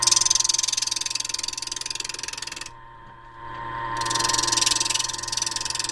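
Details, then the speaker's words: Wood lathe turning a horn cup body on a mandrel with a large thumbnail gouge; rapid, regular chatter about three to four hits a second as the tool bounces on stock not yet round. "you can hear the chattering as I move the tool I mean it's not round"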